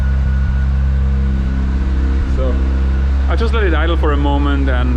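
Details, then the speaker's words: Mazda RX-7 FD rotary after about 10 minutes of idling, oil temperature at 70 °C: an even, steady low drone with no misses or knocks; running fine. "so already the car has been idle now for around 10 minutes you can see all temp nicely at 70 degrees"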